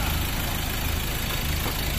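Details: Ford Ranger 2.2L diesel, after a no-start caused by no fuel supply, fixed with a new suction control valve, crank sensor and PC calibration: steady, even idle with a smooth low rumble, no knocks, misses or hunting; running cleanly.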